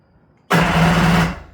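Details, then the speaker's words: Restored vintage Kawasaki 550SX jet ski (original reed motor, stage 2 port, Coffman half pipe, dual 38 Mikunis), first crank with no fuel in the lines yet: short, loud, even whirring crank, steady buzz, no catching; strong normal starter crank. "All right, we've got a strong strong crank there. That's That's pretty good."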